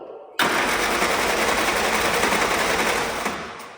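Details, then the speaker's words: Old Willys Jeep that had been sitting, cranked after a fuel leak was fixed but before the electric fuel pump was switched on, with the filter still empty. Fast, even starter churn of about 3.5 beats/s for three seconds, never catching; no start, no fuel delivery. "it's an electric fuel pump on here like you saw so I'm going to turn that on and see if it starts putting some Prime into this filter"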